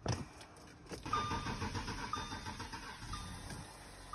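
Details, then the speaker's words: Audi Q7 diesel with P0272 contribution balance fault, after replacing injector number four and adapting it to the ECM: brief crank catches straight away and settles into a steady even idle with no stumbling; starts without needing the fuel system bled. "Okay. Start it right up. So, we don't have to bleed."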